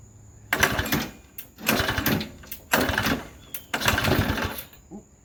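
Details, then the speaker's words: Modified Briggs and Stratton engine for an airplane project, new crankcase oil flicker, bungee-corded to a chair, primed and pull-started: four short sputtering bursts, each catching about a second then dying; failed start, gas leaking out. "almost oh gas is coming out all right I'm gonna try again"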